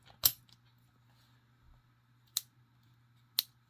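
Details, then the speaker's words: Vintage 40mm all-bronze Yale padlock with long shackle, quiet room: three sharp metallic clicks as the shackle is turned and pushed; it won't latch unless rotated with force, a quirk of this lock. "pop the shackle and it won't shut unless we put force on it turn it and then we get that click get that click move it back"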